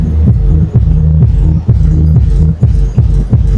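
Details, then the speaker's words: Live Shockwave SWA3000 power amplifier after crackle repair (2k and 470 ohm resistors), laptop audio into sub: deep bass comes through clean and steady, no crackle or scratching; clean output. "Pure sub. Wala ng kalaskas. Ah wala na oh. Wala ng kalaskas."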